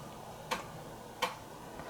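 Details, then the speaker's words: Commodore Amiga 1200 floppy drive (previously hit-and-miss) reading all tracks in a read test after repair: crisp, evenly spaced clicks roughly every 0.7 seconds over a quiet background; normal head stepping, all tracks read, drive working perfectly. "don't just love that sound that's the problem if you put a gotek in your omega you lose all the sounds"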